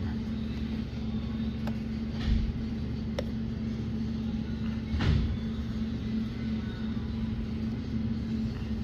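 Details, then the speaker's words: Ford F-150 V8 idling rough with uneven low rumble, stumbles and sharp snaps from a cylinder 3 misfire; damage found on the number three ignition coil. "Got this Ford F-150 here with a cylinder three misfire."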